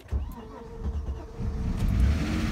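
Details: 2000 Vectra B GSi 2.5 V6 saloon, first start after nearly four years off the road, low fuel: starter churns a while before engine catches and builds into a rough, rising, noisy run; slow to fire.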